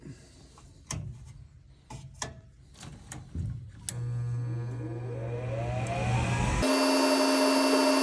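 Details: Gas furnace after hot surface igniter replaced with White Rodgers universal HotRod: a few clicks, inducer winds up with rising hum, burners catch to a steady roar; normal ignition and firing.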